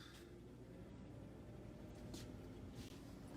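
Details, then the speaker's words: Fridge after repair with new part and fan installed, quiet steady low hum without knocking, rattling or clicking as the compressor kicks on after the temperature is set lower; normal compressor running. "the condenser kicked on you're it you can hear it in there running fine so essentially means is it's now trying to get it down to that new temperature that I just set it at"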